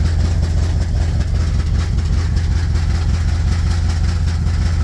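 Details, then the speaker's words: 1969 Chevy truck, just driven about 2,000 miles from Oregon and tuned: loud lumpy burble at about 650 rpm idle with no mufflers, an open exhaust; mufflers still to be fixed. "Yeah, so you can kind of hear it under there. It's the sound of that open exhaust. Whereas this one actually has pulses to it."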